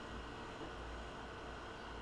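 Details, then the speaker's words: Maytag MTF2156GEW top-freezer refrigerator that leaked and wasn't cooling because the compressor stopped, after hard-start kit installed. Low, steady hum with no clicking or cutting out; compressor running normally. "okay so now that it's back together the compressor is on and running"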